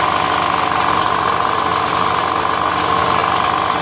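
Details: Generator that was misfiring, restarted after the spark plug gap (found too close) was opened: steady, even engine drone with no obvious stumbles or dropouts; normal running.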